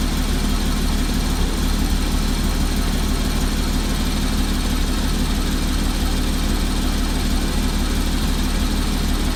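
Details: 2014 Porsche Cayman, 34k miles, petrol engine idling with a light, quick ticking over the low hum; the cause was not identified.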